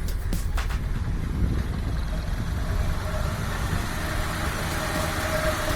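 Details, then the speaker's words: 1997 Honda Civic Ferio automatic, 1600 cc fuel-injected engine, just after start: low, steady idle rumble with an even beat, no knocks or misses, minimal vibration; engine dry with minimal oil seepage; healthy idle. "Langsam ya. Ini minim getaran."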